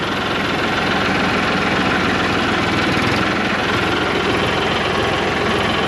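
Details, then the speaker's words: Diesel tractor pulling off in second low gear forward, front loader raised: dull uneven sputtering chug as it labours under load until revved higher; engine lugging under load. "the engines you can hear it's probably sputtering a little bit it's under a bit of low i'll give it a few more revs there we go"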